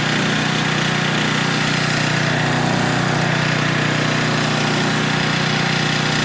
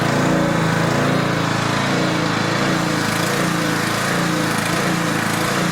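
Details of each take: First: Older Tecumseh 4000 W generator under a significant load of almost half capacity; steady, even single-cylinder drone holds pitch without surging, falling or struggling; normal governed run, later set to 60.8 Hz with a 1500 W load. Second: Older Tecumseh 4000 W generator with adjustable main jet, running under a steady load; engine speed rises and sags instead of holding even; surging from too lean a mixture, to be fixed by richening the main jet.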